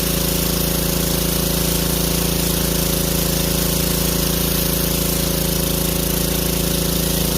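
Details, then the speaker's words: 150cc power washer that sat with bad gas, after carburetor cleaning, water hooked up: steady, even small-engine drone at constant speed with a fast regular beat, no misses or surging; fired first pull, normal running. "so it fired up right on the first coal that's what we needed was the carburetor cleaned out"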